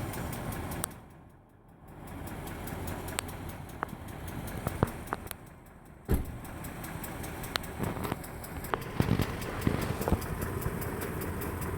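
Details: 2003 Range Rover HSE, 4.4L BMW M62TUB44 V8, at idle: sharp light irregular ticks from the top end over a quiet steady idle; the oil is possibly a little low, and the sound later went away on its own.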